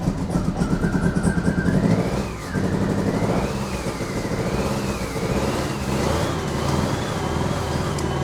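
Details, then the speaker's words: Fiat Panda 4x4 after its turbo kit was removed and the spark plugs cleaned, under slight throttle: it pulses unevenly, then revs rise and fall unsteadily; it runs but still isn't firing smoothly on all cylinders. "The engine is going up and down badly."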